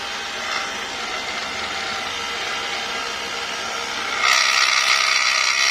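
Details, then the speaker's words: Mercedes W221 air suspension compressor: a harsh, high-pitched, very loud motor whir that swells louder and rougher, audible inside the cabin, and the car does not rise; compressor suspected worn, scored or broken. "это короче причина в компрессор и машина не поднимается звук очень громкий звук"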